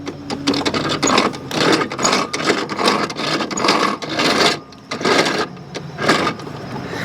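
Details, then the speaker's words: Toro Timemaster self-propelled mower, hard to push, spark plug disconnected: rhythmic rasping grind about once a second as the wheels turn; worn middle transmission bearing blamed. "I think this bearing is no good. Right here in the middle. This middle bearing. That's what's making this noise."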